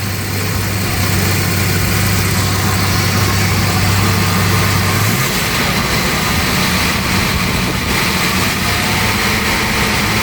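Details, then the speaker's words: 1988 Jaguar Series 3 V12, running again after 7 years and after ignition troubleshooting: steady, even idle with a smooth low hum, no misfire stumble or ticking; normal idle, distributor advance mechanism still to be checked. "well she's running smooth she's still going up to Dr Jag next week"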